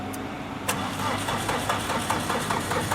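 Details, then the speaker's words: Tata Winger diesel, cold no-start: starter churns at a steady beat but engine never fires; glow plug test bulb doesn't light, heaters get no current; starts once the heaters are fed power directly. "देख सकते हैं आप bulb glow नहीं कर रहा। तो इसका मतलब है इसके हीटर में करंट नहीं आ रहा।"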